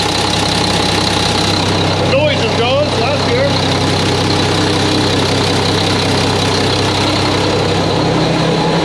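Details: Mack truck diesel engine just reassembled, first start before road test; fluids checked, no leaks seen. Loud steady diesel clatter at even idle, no surging, miss or knock; sounds good, normal idle.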